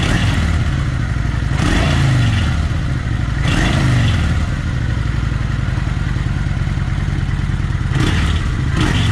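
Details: Kawasaki Vulcan 900 with restrictor plates removed: lumpy V-twin idle with throttle blips and a light metallic clatter from a self-welded piece rubbing.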